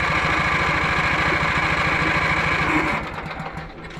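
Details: Lawn mower in for won't-start (owner was jump-starting at the starter), cranked after rain despite a supposed earlier grounding fix: steady cranking about 3.5 beats per second, never fires, then slows and stops; no spark, ignition coil shorted, later replaced with a new coil.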